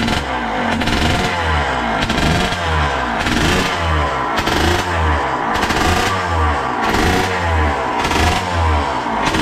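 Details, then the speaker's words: Suzuki RM80 bored to 135cc two-stroke warming up, rich oil mix in fuel, smoke calming as it warms: crisp, ringing engine blipped up and down about once a second, clean and responsive with no bogging; healthy warm-up. "Oh, you hear that when it was warming up? That sounds nice. It sounds very dangerous, which is brilliant."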